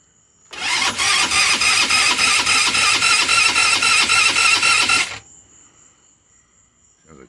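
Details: GY6 scooter (Eagle/Jonway/Roketa) after head, piston, cylinder and new carb rebuild, very first crank, battery weak: about 4.5 s of slow, even starter whirring with no firing; cranks but won't start because the run/kill switch was left off.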